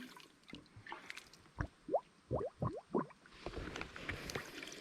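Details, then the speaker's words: Cheap $30 water pump test: hose dropped in cold water to fill before priming, about five wet glugs roughly one per second as trapped air bubbles out of the hose. "you can hear the air finally going in or coming out trying to get as much air out as possible"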